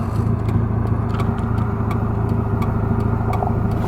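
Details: Toyota MR2 engine at idle, just refilled with oil after an oil pan leak repair: an uneven beat with sharp puffs breaking the rhythm a few times a second. A misfire; the check engine light later flashed on a test drive.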